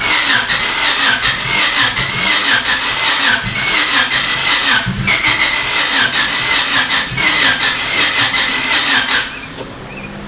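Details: Honda Civic EK hatch, a non-running project car, with the fuel pump heard running and a Y7 ECU just plugged in, spark unchecked: the starter whirs in uneven beats, about 80 a minute, with a brief catch but it never runs. Cranks, no start; cause unconfirmed.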